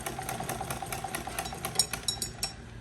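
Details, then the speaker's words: Sewing machine after loose flywheel repair: quick even clicking about eight stitches a second over steady hum; slight play remains, no issue under load, runs smoothly. "तो जैसा कि आप देख रहे हैं, अभी मशीन बिल्कुल ठीक ठाक हो गई। लोड डालने पर बिल्कुल इशू नहीं कर रही।"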